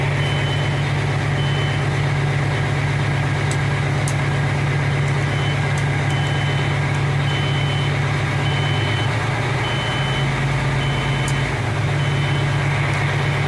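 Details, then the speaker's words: 1992 Kenworth T400 diesel truck, in a roughly 50°F shop, idles steadily while the low-air buzzer pulses about twice a second; the air tanks were empty from a leak at a loose tank plate. "so you hear the buzzer and see we got some Aaron in the front tank and a little bit area in the rear tank but it was empty"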